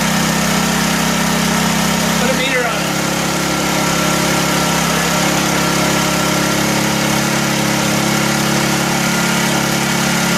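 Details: 1984 Honda EM600 generator on a cold start holds a high, steady racing pitch that never settles to normal speed. Engine overspeed, likely from a governor fault; the fine-tune adjuster knob did little, and a throttle issue is suspected.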